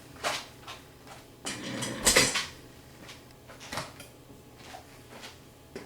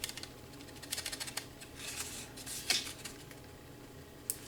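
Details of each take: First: 2009–2014 Ford F150 (2012) door: light, hollow plastic clatter in irregular bursts as the door is shaken, a loose plastic part inside the door panel rattling over bumps; fix tried is tape or felt on the part. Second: 2012 Ford F150 door shaken by hand after taping/felting panel parts: only light clicks and taps, no loose buzzing or rattle; door panel rattle fixed.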